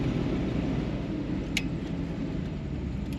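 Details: 1958 Cadillac Eldorado Brougham project car with a 365 V8 and automatic transmission, running with the suspension propped up: steady low rumble, even beat, no knocks or misses, running normally.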